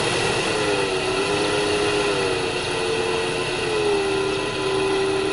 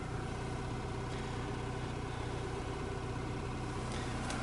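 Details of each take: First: 2002 Opel Vectra C heater blower motor running loudly: steady droning hum with wavering mid-pitched tone and rumbling over fan rush; noisy blower motor, to be removed through the glovebox for inspection. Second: 2002 Opel Vectra C heater blower motor after rebuild, first speed: even low quiet hum with faint brush whir, likely brushes not yet bedded to the commutator; much quieter than the earlier growl, normal operation.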